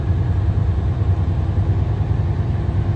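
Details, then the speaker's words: 2023 Kenworth W900, X15 Cummins 605 HP, 18-speed, 40,000 miles, 1,200 hours: deep, even diesel rumble with a steady beat, no knocks or rattles, revving cleanly through the RPMs; oil pressure good. Healthy engine. "Everything's revving up the way it should. Sounds good through the RPMs. Oil pressure's good."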